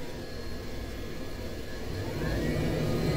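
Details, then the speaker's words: Heatline combi boiler after repairing a faulty hall-effect water flow sensor damaged by a flue seal leak, hot tap demand: steady burner roar building smoothly to full rate, no rumble, pops or bangs; normal burner firing. "perfect boil is back on obviously it's working on full rate so it's not going to produce much condensation"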